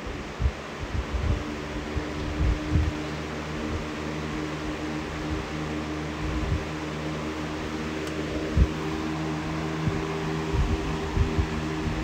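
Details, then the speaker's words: Box fan at full power after swapping in a white blade: an even, steady whoosh with no wobble or thump. The balance is superb, it moves a lot of air and spin-down time is decent. "it is moving a lot of air with that white blade. All right, spin down. The balance is superb. It's not falling over at full power."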